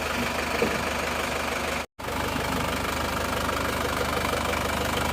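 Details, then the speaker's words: Isuzu Panther diesel just rebuilt (rings replaced) after overheating from lost radiator coolant, cold first start: steady diesel clatter at even idle, no hunting; running stable and smooth. "Alhamdulillah hidup stabil ya hidupnya stabil tidak goyang kelihatannya stabil"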